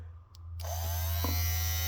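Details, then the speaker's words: Rebuilt blower motor spins up to a loud, steady buzzing hum with no vibration, wobble or knock; after power is cut it slowly winds down, showing no restriction. Normal run. "she works it's a it's a loud little motor but even though it sounds like that there's no vibration in it so guess it is what it is and when I take the power off it slowly winds down so at least I know there's no restriction there"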